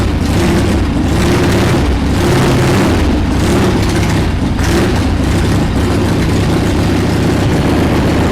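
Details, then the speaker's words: 1979 Harley-Davidson Ironhead Sportster XL1000, first run in over 25 years after carb cleaning: loose, uneven idle that lumps and surges because the carburetor popped off the intake, letting air in; more choke tried. Rough idle from carburetor air leak. "not really idling right let me take a look at the car real quick that's cuz the car freaking popped off so I haven't figured out yet how we're going to secure that on there"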